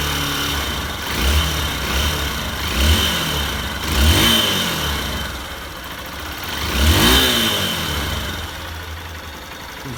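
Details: Honda Bros 150 single-cylinder, warmed up after teardown for an engine knock, smoking and weak clutch: idles smoothly between a few clean throttle blips, with no knocking or rattle; the engine noise has changed, now healthy and quiet.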